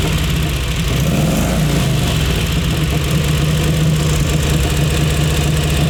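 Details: Crocker V-twin motorcycle, museum machine, cold start after fuel on, choked three kicks with kill switch, fired on third try; lumpy loping V-twin beat settling into a steady low idle, clean firing; normal cold idle.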